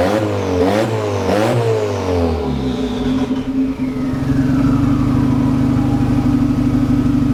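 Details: VW Golf Mk1 4Motion AWD, engine running again after wiring work, fuel pump primed: a few sharp blips rising and falling back, then steady, even idle with no clatter; normal revving and idle.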